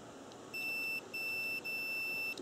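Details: Cooling fan relay bench test, power on terminals 1 and 2, multimeter across terminals 3–5 and 6–7: three sharp high beeps, each about half a second, as the relay is powered; contacts closed, continuity good.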